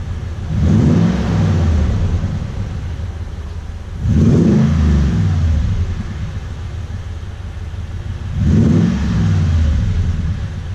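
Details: Toyota Tundra with a newly installed TRD dual exhaust, recorded from behind the truck: a deep V8 rumble with three clean throttle blips rising and settling back to idle. Engine and exhaust sound healthy.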